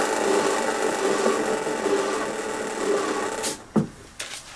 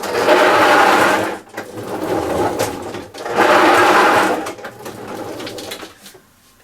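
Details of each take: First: Hyundai lawn mower freewheel after cleaning check and lubrication: a soft, even whirr from the freely spinning rear wheel, now quiet instead of grating, then a few handling clunks. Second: Hyundai lawn mower in for service: harsh rasping grate in bursts each time it is pushed forward, from a dry rear-wheel freewheel clutch; the fix is lubricating the freewheel system, and stripping and cleaning it if seized.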